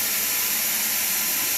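Steady, even hiss of white noise at full level with no crackle, buzz or dropouts; left speaker playing normally.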